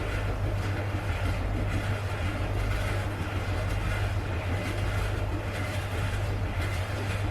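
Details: Siemens tumble dryer, very dirty, before full disassembly and drum removal for cleaning: heavy, steady low rumble with a rough, gritty grinding texture.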